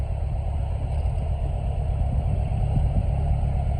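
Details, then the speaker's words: 1996 Chevy S10 rebuilt engine (milled head, ported intake) idling during first-start break-in: low smooth steady idle, no knocking or ticking; running fine. "All right, there we go, YouTube. The drift truck is running. I'm gonna have to put it through some break-in cycles, of course."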